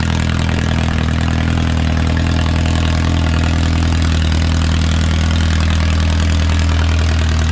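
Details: Original early-1950s engine of a Renault 4CV (car a 1952; engine failed early 1950s with cracked block, weld-repaired), reassembled and run for the first time in ~70 years, warming up: deep even idle, steady low thrum, no misses, knocks or rattles, barely smoking; normal idle.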